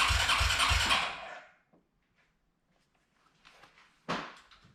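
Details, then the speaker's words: Arctic Cat 300 ATV after 15 years, carburetor rebuilt, new battery: starter cranks at about three compression pulses a second but never catches, because no fuel reached the carburetor until the tap was switched to reserve. "all right guys so it turns out that it wasn't going to fuel so i just switched it to reserve now and i was giving them fuel to the carburetor so now let's see if it starts"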